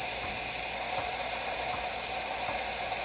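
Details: Quick Mill 820 vintage espresso machine after a complete tune-up: steam wand swung out and opened, steady high-pitched dry steam hiss with no sputter or pulsing, normal.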